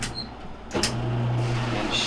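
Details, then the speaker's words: Whirlpool LSQ7030LQ0 washer that won't spin or drain, set to spin: no click when the lid closes; pressing the lid switch plunger by hand gives a sharp click and the motor hums and runs steadily, confirming a bad lid switch (part 3949247) needing replacement. "normally when you open and close the door you should hear a little click that will engage this uh plunger into the lid switch I do not hear a click"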